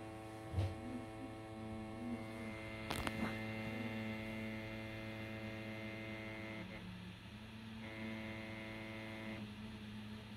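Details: PS5 console while playing Assassin's Creed Valhalla: steady low buzzing hum over fan noise that shifts and drops out, from the never-removed white side panels vibrating against the fan; stopped by pushing the panels upward at the corners.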